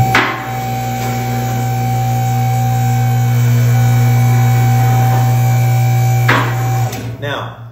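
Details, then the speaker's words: American Custom Lifts M1 car lift raising with a steady low pump hum. The regular knocking/clicks are the safety latches ratcheting up their ladder, which is normal. "so that knocking that you're hearing is a safety latch there's a latch that's ratcheting up uh ratcheting up a ladder essentially"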